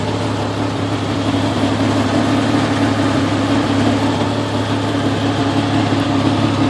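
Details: Jeep XJ with a 1998 4.0 engine and the coil refitted with custom straps: lumpy, uneven idle with about three pulses a second and no steady rhythm; misfire, cause not yet found.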